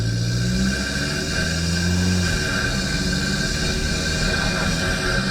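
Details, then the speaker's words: Engine with newly installed stainless steel snorkel and sealed airbox, driving with window down: loud, steady intake rush and hiss over engine drone from snorkel entrance near front right pillar; normal snorkel induction noise. "So that is significantly louder with the window down, obviously. You get a strong induction sound. That is a sealed airbox, so the only place from which air is being sucked into the engine is from the Snorkel entrance, Snorkel intake."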